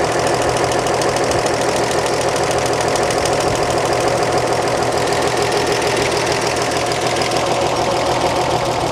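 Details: 1938 Chevrolet Coupe, warm at idle after valve lash adjustment (exhaust 0.014 in): a steady idle with an even, light valve tick and no loose clatter; lash correctly set.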